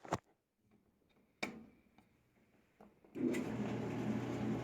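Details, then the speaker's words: Hotpoint dryer running after its cracked control knob was replaced; a few clicks, then a steady even drum hum with a soft tumble, normal running. "that it's working it's functional and that's all it takes for you to fix this dryer"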